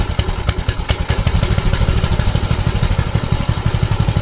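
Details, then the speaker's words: Mini bike small single-cylinder engine before fix: uneven lumpy idle about three firings a second with clattery edge; bogs and dies on throttle, backfires and smokes, cause unclear. "All right, first problem. It's been bogging out. Show you what's going on. Help if the start button was on. and it backfires too."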